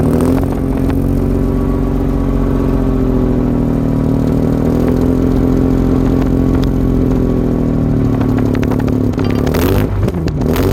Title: Mazda rx 8 rattling noise from engine